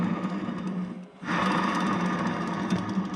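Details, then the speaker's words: Bridgeport 2J mill head during rebuild: the bad bearing spun by hand gives a fast, rough clacking rattle from damaged rolling parts. Before teardown, spinning the shaft gave a high-pitched squeak. "but here's our table parts and I think we found our bad bearing counts right here listen"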